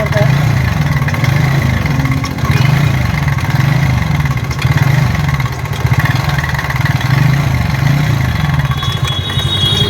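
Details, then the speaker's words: TVS Ntorq 125 BS6 scooter at only 2614 km, before repair: loud, fast, constant metallic clatter over the idle; the timing chain tensioner is suspected and is to be checked. "इसका seat को open करेंगे और इसका timing चैन को जो है देखेंगे हमारा टेंशनर सही है या नहीं है।"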